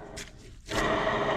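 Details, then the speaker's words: Detroit 2-53 DW-LS governor core left out in the weather for decades, its shaft spun by hand during teardown: a gritty, uneven rasp. The bearings are rough and worn out, and the gear is junk too. "the bearings are garbage too"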